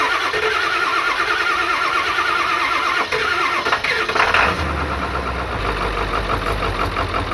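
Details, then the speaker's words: 1997 Ford F350 crew cab 4WD 7.3 Powerstroke diesel, abandoned, bought at auction: long steady cranking about four seconds with raw-smelling exhaust smoke, oil pressure while cranking, then catches and settles into a lumpy, uneven rough idle; batteries charging. "It runs! Okay. Oh, and it closes hoods by itself. So batteries are charging. Oh, it's got a little bit of a rough idle here."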